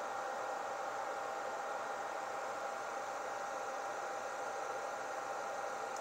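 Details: iPollo V1 mini home crypto miner at default auto fan settings (min 50%, max 100%), fans at about 7000 rpm, chip near 40°C: loud, steady rushing roar with a thin constant whistle, no surging or rattle. Fans running normally.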